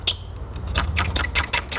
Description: When the tailgate handle clips break the tailgate handle squeaks when trying to be opened.